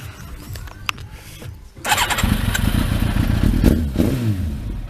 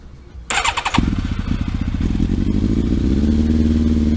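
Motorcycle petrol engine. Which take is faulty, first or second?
first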